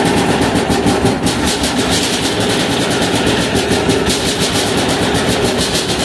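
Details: 186FA single-cylinder diesel engine running on Road Tech synthetic blend 10W-30 motor oil as fuel: steady rapid clatter at even idle, no misses or surging; runs cleanly on motor oil.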